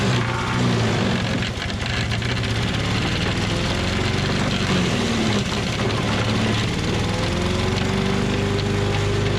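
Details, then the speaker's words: Tecumseh 5.5 hp engine on a yard-sale MTD Yard Machines chipper/shredder, after carb cleaning: pitch sags as branches feed in, nearly stalling on a two-inch branch, then picks back up; chipping properly, good mulch. "all right well that was pretty awesome uh about stalled it out there on it was like a two inch branch normally these things are rated at like two to three inch branches"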